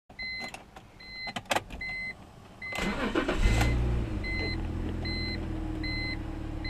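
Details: 2004 BMW E46 325xi, warm idle after a 15-mile drive: constant faint whir that appeared after thermostat and water pump replacement and got louder after new tensioner and idler pulleys; owner suspects a bad alternator.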